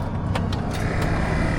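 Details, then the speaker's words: Gulf Stream Endura motorhome, key cycled on after wiring in a relay: steady low motor hum as the exhaust brake air pump runs and pumps up; the pump did not run before, now working. "now we should have an air brake Jake brake whatever when I cycle the key on we should hear this thing"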